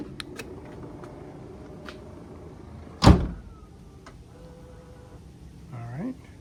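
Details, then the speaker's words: 2015 BMW 4 Series Gran Coupe after replacing the rear trunk latch assembly (51247840617) because electronic latching had stopped working: lid thump, brief smooth motor whirr and short pull-in as latch closes; working, sounds better than before. "so it's working let's try one more time still sounds better than before"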